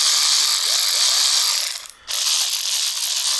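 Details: Power ratchet tool, aftermarket brand about 4–5 years old, after repair and reassembly: high, even motor whir with a fast smooth ratcheting buzz and a brief stop; the ratchet head now spins freely and healthily.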